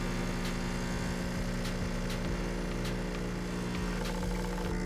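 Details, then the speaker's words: New DeLonghi ECP3220 single-boiler espresso machine flushing water through the shower head in coffee mode: even low droning hum with steady buzz; pump sounds smooth and healthy. "All right, I'm gonna go ahead and flush the machine real quick. Simply turn it on the coffee mode."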